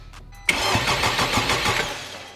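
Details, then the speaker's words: Wrecked 2021 Honda Civic Type R on its first start during the rebuild, with broken motor mounts, a holed oil pan and the oil cap off. It fires with a sharp catch and runs evenly for about two seconds, then dies. Owner suspects something tripped, not confirmed. "so we got the first start we could not get anything past the initi"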